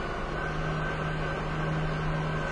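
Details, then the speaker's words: 2000 Nissan Maxima, failed emissions on high NOx with no check engine light; idle stays steady with no dip when the scan tool tries to command the EGR valve open. "It just doesn't. I don't hear anything changing."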